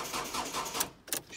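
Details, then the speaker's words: Ford Focus with cranking fault; with all four injectors disconnected and battery getting flat, starter turns engine over evenly about five beats a second, no stumbling. Injector interference on crank sensor signal to PCM suspected; ECU fault earlier suspected; not the fix. "away mad when the four injectors are disconnected"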